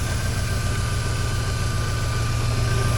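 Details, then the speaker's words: 2003 Mini Cooper that sat for a month, running on the lift after an immobilizer bypass: low throbbing idle with a steady whir on top, source unknown; owner suspects the fan, and smoke burned off the exhaust pipe. "wonder what that noise is all about makes weird"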